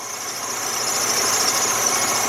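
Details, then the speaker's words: 2003 Jeep Liberty Sport with code P1491 radiator fan relay circuit, warm idle with throttle raised and lights on while charging checked, corroded battery: steady thin high-pitched whine; cause unconfirmed, possibly charging system. "That thing is definitely whining."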